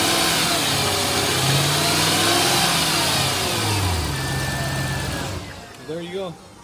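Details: Mercedes W220 S55 AMG 5.4 V8 supercharged M113K after supercharger pulley bearing replacement: smooth even idle with steady supercharger hum, no bearing whine or chirp; healthy.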